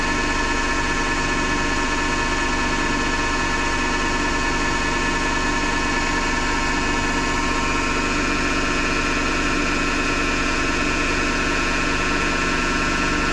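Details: Hotpoint Ariston FMD963 washing machine with a harsh, steady grind and rough rumble the whole time it turns; the owner suspects the motor rather than the drum and plans to remove the belt to test.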